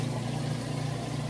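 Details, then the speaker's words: Whirlpool Super Capacity top-load washer going into the rinse cycle, drain pump emptying the tub: steady low hum with an even pumping drone and no rattles or grinding; normal drain pump operation. "here the pump working draining out all that water also a very important thing to check"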